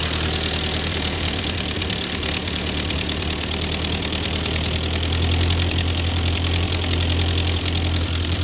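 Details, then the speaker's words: Ford 9N tractor that sat 10-15 years, just after the fuel system was redone (carburetor float had been stuck closed): steady low idle beat with an even rhythm, no misses or knocks. Idles healthily, though heat is building and the upper radiator hose is bad. "she runs pretty good for uh I don't know 10 15 years of sitting"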